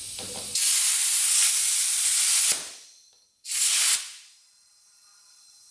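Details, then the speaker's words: Rare 1950s German scooter with possibly original Albion tires, pumping up: sharp bursts of high hiss between pauses; valve stem leaking a little. "Looks like our valve stem is leaking a little bit."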